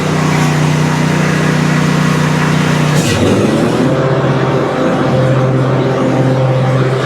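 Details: Briggs & Stratton Intek V-twin on an Exmark Quest zero-turn after a valve guide repair: a loud, strong drone that dips briefly as load comes on, then holds steady on both cylinders. There is heavy muffler noise and smoke from one side. Normal running under load.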